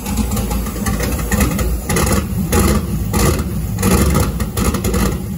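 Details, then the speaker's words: Turbo GM LS V8 in a caravan on a new tune: runs rough and ragged, surging with no steady beat; 70 lb/hr injectors are set as 25 lb/hr in the tune, so it is badly over-fuelled with heavy smoke; rich running. "oh wait i forgot to update the injector data again it thinks it has 25 pound per hour injectors in it it actually has 70 pound per hour injectors in it"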